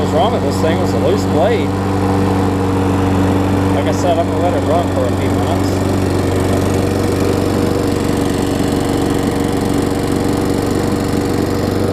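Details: Craftsman self-propelled mower, Tecumseh engine about 20 years old, old gas, cold-started first pull after fixing loose, backwards blade that caused clunking: steady, even drone with constant low hum, no knocks or clunks; running smoothly.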